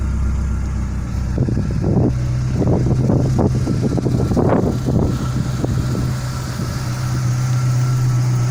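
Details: Renault Clio 172 Phase 2 four-cylinder after a head rebuild with a new gasket and 16 new valves, in neutral: some clatter as it fires up, then a smooth, steady idle hum with no ticking or misses. It sounds healthy.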